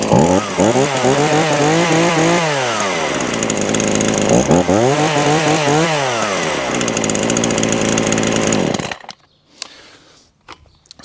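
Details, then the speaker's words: Titan two-stroke chainsaw after new primer (purge) bulb and pull cord, started with choke and four primes: idle rises to two crisp full-throttle revs falling back cleanly, steady run before shutoff; normal running, saw fixed. "starts does what it should do taffy she's fixed so there you go that's for titan um two-stroke uh chainsaw now all up and running"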